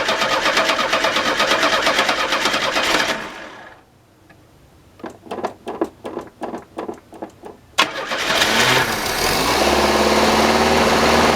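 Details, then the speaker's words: 1985 Chevy Cavalier CS station wagon, cold start after long storage: about nine slow starter turns, then it fires and runs fast and steady; high cold idle blamed on faulty throttle body. "And this car idles very high when it first starts up. Once again, that's part of the throttle body crap that needs to be worked on. So, if it sounds like it's revving up really high, I'm aware of this."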